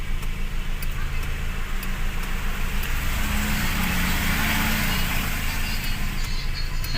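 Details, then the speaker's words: Toyota Vios petrol engine after throttle body cleaning for too-low idle, AC off: steady, even low idle hum without misses or hunting, settling to proper RPM; normal idle about 600–700, 800–900 considered fine. "Hintayin mo lang na talagang tumama na siya sa tamang RPM ag hindi naka-on yung aircon mostly ang normal na idol pm niyan ay mga 600 to 700"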